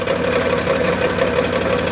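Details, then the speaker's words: Dodge Grand Caravan 3.6 litre, 133,000 miles, idling: fast, dense metallic rattle near the bellhousing that fades when revved; not lifter or rod bearing; flex plate seen wobbling through inspection hole, cracked flex plate. "wobbling around on inside of a discussion hole is the flex plate and uh been a little further in is the turkey burger and uh doing a little bit of a dance it's wobbling"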